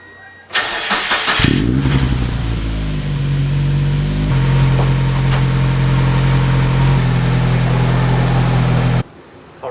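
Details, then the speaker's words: 1999 NB Miata with a built 1.9L engine, parked over 7 years, started after fitting new ignition coils, plug wires and plugs: catches quickly and settles to an even, steady idle; misfire fixed, normal idle. "so that seems like it totally fixed the misfire"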